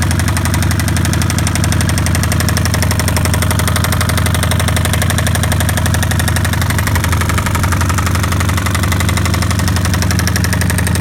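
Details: 2005 Kawasaki Vulcan 1500, first restart after being ridden without oil and then overfilled with oil. Loud lumpy idle with heavy regular knocking at about three beats a second from the lower engine case; cause not yet known.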